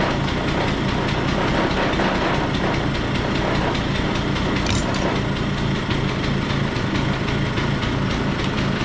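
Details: Stella two-stroke scooter after cleanup, with the starter readjusted and the oil-filled airbox cleaned; before, it was hard to kick and ran poorly. Fast, even, buzzy idle with no stumbling: healthy idle.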